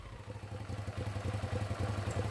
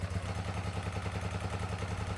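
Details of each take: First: 2006 Hyosung GT650S V-twin after carburetor cleaning, previously running on one cylinder: even, steady firing from both cylinders through a short rev before shutting off; running clean and healthy. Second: 2006 Hyosung GT650S V-twin after two years stored: lumpy, uneven idle with hollow single-beat pulse, running on one cylinder, won't exceed 5,000 rpm, front exhaust header stays cold; blocked carburettor pilot jet.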